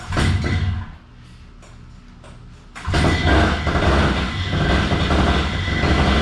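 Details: Moster 185 Plus two-stroke with rough idle and hard restart: it putters unevenly at idle, fades to a faint uneven run, then catches and runs loud and lumpy again; priming is needed to restart. Rough idle.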